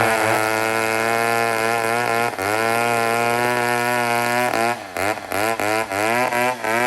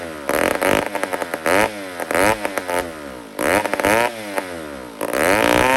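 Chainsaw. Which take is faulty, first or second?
second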